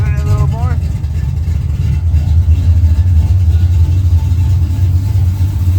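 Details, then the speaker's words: 1980 Camaro Z28 freshly rebuilt big-block Chevy (Patriot heads, 1.8 rockers, Howard's hydraulic roller cam), base timing 10 degrees, first start: deep steady fast-idle rumble, lumpy but even, no knocks; runs well, owner thinks maybe slightly rich. "Guys, the damn thing runs. I need to wipe down the polish, wipe down the valve covers, but it runs and it sounds pretty good."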